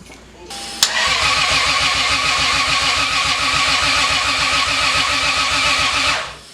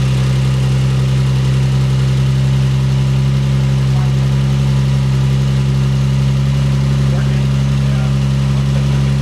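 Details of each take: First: Big-turbo Lexus GS300 after a year and a half off the road, coil packs plugged in: steady starter cranking about five seconds with no firing; extended crank no start, ECU kept reverting to the default tune. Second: Big-turbo Lexus GS300 first start after build, fuel pump power wire upgraded: steady smooth idle settling to about 1,000 rpm, 14.2–14.3 AFR, 38 psi oil pressure, no knocks or misses; healthy.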